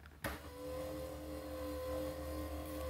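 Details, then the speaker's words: Wood gasifier first test run, grate agitator motor on low speed: thump then steady hum with no load rise; coupling turns but shaft doesn't, owner suspects seized shaft. "that's interesting it's not moving all right so the coupling is turning but the shaft isn't so I just wonder has it seized"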